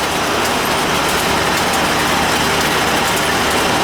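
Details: AC outdoor condenser unit before repair, unit sitting hard against the house: outdoor fan runs but the compressor does not; only an even fan whoosh with no compressor hum, blamed on a bad capacitor.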